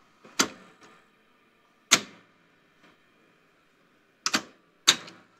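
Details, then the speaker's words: National Panasonic NV-7200 top-loading VHS VCR, generally working now: crisp single clicks and paired clacks as the review/cue solenoids and the pinch roller solenoid operate. Normal solenoid action. "there when we push the review or cue buttons various solenoids operating and I can see there's Parts moving down there so there's additional solenoids added I think would be to add those functions"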